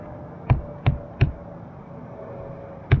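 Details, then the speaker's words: 1970s Mako 17 boat, tapping the fiberglass gunwale: four dull, low thuds that die quickly with no hollow ring. This gunwale is solid, though one side feels a little shot and the gunwales may have to come off. "Gunnels are pretty solid. This side feels a little bit shot, so the gunnels are probably going to have to come off."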